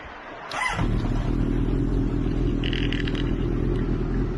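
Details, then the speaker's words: 1983 Honda CB1100F at idle after carbs were pulled, cleaned and adjusted, mixture screws richened to 2.5 turns from the stop: it starts instantly and idles with an occasional sharp pop, cause unknown; owner thinks three turns may be needed. "still giving me a little bit of popping at idle but i'll tell you what it really um has picked up it might need to come out three turns"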